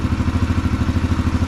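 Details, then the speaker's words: 2022 Yamaha TTR-125 air-cooled single after installing a Tusk cold start jet kit, first start, choke disengaged: even thump around eight beats a second, no misses or stumbles; clean steady idle, started right up. "I'd say it works pretty good. I'm actually pretty impressed. I do believe first start, it started right up."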